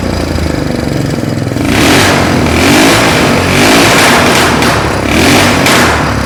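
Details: Old Mule UTV with an HMF exhaust: very loud, raspy blare that swells and drops with each throttle blip, far beyond a normal muffled note; owner suspects the HMF muffler has no packing left.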